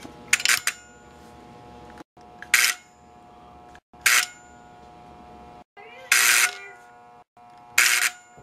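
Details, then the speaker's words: Tyco #930 unloading box car set powered by an old Tyco 899B power pack on its AC side: a constant low transformer buzz, normal for these older packs, under sharp mechanical snaps every couple of seconds. "the buzzing noise you hear the power pack which is normal for these older power packs"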